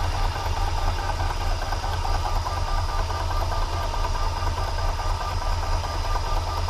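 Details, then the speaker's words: Milling a metric keyway in a new gearbox shaft with a big end mill: steady drone with a rough buzzing rattle of light chatter, which should clear up once the cut passes about 1-1/4 inch diameter. "anyway once you you hear kind of chatter a little bit once it gets past that inch and 1/4 diameter it'll clean itself up and get a stop chattering"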